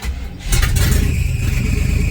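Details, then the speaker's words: 1978 Chevrolet K20, revived after sitting for years, in reverse on test drive: engine revs with a faint thin high tone over the rumble from a way-loose alternator belt, its top-bracket tension bolt not tightening fully; still spinning the alternator and charging. "well that is definitely the alternator belt yeah so I know it's the alternator belt because oh no I need you because the alternator the bolt that holds the alternator tension on the top bracket wasn't tightening all the way so the alternator built is way loose"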